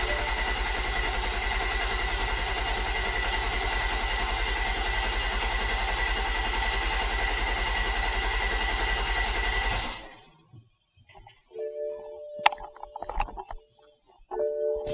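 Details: 2008 BMW 135i (E82, N54) first start after installing a Precision Raceworks Stage 2 fuel pump setup with a Walbro 450, before final tightening. It catches and runs with a steady, even beat for about ten seconds, then shuts off cleanly, starting and running fine.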